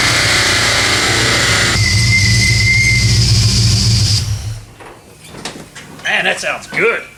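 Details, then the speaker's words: 1979 AMC Spirit AMX, budget-rebuilt AMC 304 V8 with Brawler carb, T5 five-speed, on dyno with air cleaner removed: loud, deep V8 roar holds strong and even through a full-throttle pull, then drops cleanly; healthy, about 210 hp and 269 lb-ft. "I think does sound really good it sounds really good we just picked up five horse by taking off the air cleaner who who knew"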